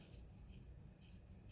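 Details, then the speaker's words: Zipp 303 bicycle wheel, spun by hand off the bike, turns almost silently with only a faint soft whoosh; the bearings are healthy. "let's do a little sound test of the bearings for these wheel axles nice and quiet spins"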